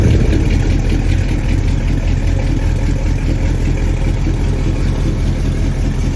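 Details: Chevrolet squarebody pickup with fuel-injected big-block V8 and performance cam settles into a steady, deep, lopey idle with an even beat and no knocks or ticks; normal idle.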